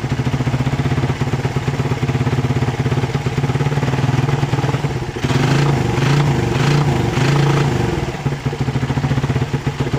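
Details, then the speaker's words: Motorcycle engine previously misfiring (brebet) despite cleaned carburetor, fault suspected in socket: after the fix, even steady single-cylinder idle picks up cleanly through blips and settles back, no misfire. Normal running. "langkahnya sudah enak ya tinggal"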